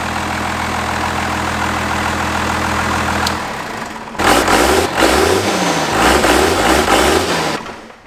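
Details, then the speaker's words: 5.9 Cummins diesel from a 1993 Dodge Ram, swapped into a 1967 Ford F-250 with the intercooler now hooked up: deep, even diesel clatter at idle, then clean throttle blips with the turbo spooling; a healthy engine. "never gets old i just love that uh the intercooler's all hooked up we're spooling like we should and that thing just sounds sweet"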